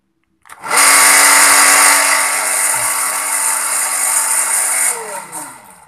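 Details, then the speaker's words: SANYO PWH 135 water pump, old, with weak suction; motor starts with a harsh, gritty roar and steady hum, then winds down. Rough, noisy sound caused by a worn bearing, recorded before opening for service. "Quite Rude right ... So The tail is quite rough and decent The cause is The Bearing or "Klaher""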